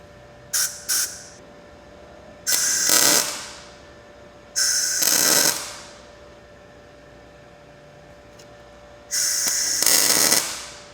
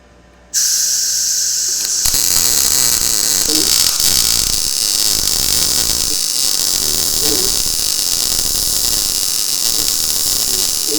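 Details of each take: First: Blue Demon 140MSI MIG welder, first tacks on thin steel in synergic mode with low wire speed: short harsh crackly spitting arc bursts, porous welds likely because shielding gas wasn't run through the line; improved after running gas. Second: Blue Demon 140MSI MIG welder on really thin steel, automatic voltage, gas turned down slightly, wire speed raised: steady even bacon-frying crackle without sputter or popping, a healthy well-set arc, no holes blown.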